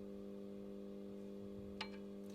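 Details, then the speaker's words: Air conditioner indoor unit, power transformer connected to mains with no load: steady, low electrical hum with a single click. Noise persists with a lamp load; transformer to be replaced under warranty; transformer hum at no load. "Смотрите, сейчас он подключён к сети и нет нагрузки, и он шумит."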